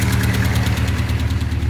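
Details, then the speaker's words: Engine idling with one valve not moving, no load felt on it; steady low idle with quick, regular sharp pops spitting back through the carbs as if lean; owner suspects that cylinder's mixture has no way out: carburetor popping at idle. "So here, you ready? Starts popping out of the carbs like it's lean."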